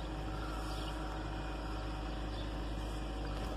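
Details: Chrysler/Dodge/Jeep engine showing code P2173 (vacuum leak, high airflow) and the red lightning-bolt light: steady smooth hum at a raised idle with no dip or hunting.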